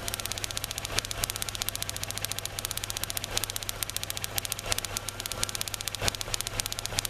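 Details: 2003 Kia Rio after crank-no-start, engine cold and running rough under the open hood: sharp irregular crackling snaps over an uneven, stumbling idle; coil pack arcing between towers for cylinders 2, 3 and ground, easing as it warms; ignition coil arcing misfire.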